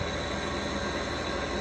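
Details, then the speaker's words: Air conditioner fan motor, just brought in and only recently started making noise: steady harsh rushing whir with a faint rough rumble underneath; owner suspects another case of bad motor bearings. "So I guess it's another one with bad bearings."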